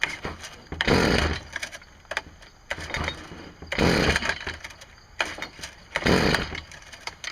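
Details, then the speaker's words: STIHL string trimmer with a spark plug tester fitted: three rough pull-start bursts about 2.5 seconds apart, turning over but never catching; no spark seen, later traced to a faulty ignition coil. "now I know it's kind of bright out here but I didn't see any any light popping in there like I think I should have so I'm wondering if this thing is putting out spark at all"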